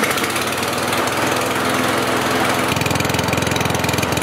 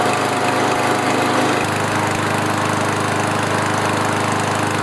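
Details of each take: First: Kohler lawnmower engine before the RPM adjustment: an even single-cylinder chugging that is clearly too slow, reading 2,300 RPM, under 3,000. The fix is more governor spring tension. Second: Kohler lawnmower engine after the governor adjustment: a steady, even high-speed drone with no hunting, reading 3,189 RPM, up from 2,300. The spring plate was pried up to add tension, and the engine now holds normal governed speed.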